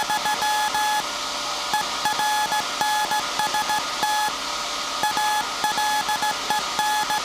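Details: SAQ Grimeton 1924 Alexanderson alternator VLF transmitter on 17.2 kHz CW, December 1st 2024 centennial transmission: clean steady-pitch beeps, short and long tones in regular Morse pattern; normal keying.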